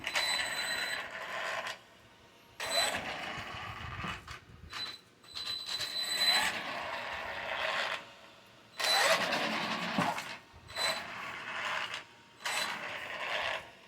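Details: Small electric RC truck (Traxxas Maxx) drivetrain giving bursts of harsh, raspy grinding as it coasts to a stop on its own; the cause is unknown and the owner fears it is broken.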